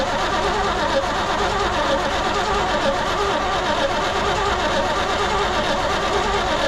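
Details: 1972 Chevrolet C20 pickup stored over 20 years, squirt of year-old lawnmower gas, choke closed: starter churns steadily with no firing; cranks but won't start. Owner suspects lifters bled down causing lost compression.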